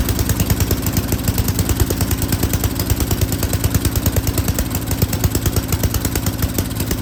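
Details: Yard King snowblower, full throttle, choke on; pulses unevenly about three beats a second with stumbles and surges while the carburetor high-speed mixture screw is adjusted.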